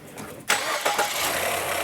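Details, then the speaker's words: Ford Fusion, first start after timing belt, water pump and new serpentine belt replacement: brief crank, fires on the first try and settles into a smooth steady idle; starts cleanly and runs healthy. "Whoa. One. One kick. That's what I'm talking about, baby."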